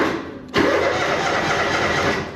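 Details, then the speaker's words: John Deere Gator 6X4 sitting since 2014, after splicing wires and reconnecting key switch, cooling fan not yet wired: catches at once and settles into a steady, even idle with no misses; sounds really good. "and it sounds really good too so let me get some things tidied back up"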